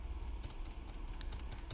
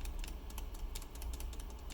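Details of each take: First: New magnetically stabilized stabilizer design with a thicker stem on a Riskeyboard 70: soft, muted, irregular taps with no rattle or ping; really quiet compared with the original. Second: Original shift-key stabilizer design on a Riskeyboard 70: uneven, clacky taps with a loose rattle; the key leans because the stabilizer stem is too thin.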